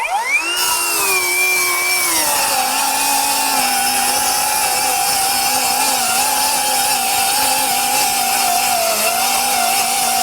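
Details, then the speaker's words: Metabo HPT C1807DAQ4 18V MultiVolt 7-1/4" cordless circular saw, compact 4Ah 18V battery, 3,800 RPM cutting two sheets of 1/2" OSB: high whine spins up, then drops and settles lower as the blade bites; motor bogs slightly from being pushed hard. "definitely me pushing the saw. You can hear it kind of bogging slightly."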